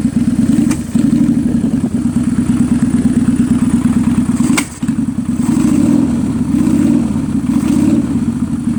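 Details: 2003 Kawasaki Vulcan 800 Classic carbureted twin, after an oil change and Seafoam added to the gas. It runs with a lumpy beat, cold on full choke and then warm with the choke in. Sharp slaps and pops with smoke come from the carburetor into the air filter. The owner suspects a carburetor misfire.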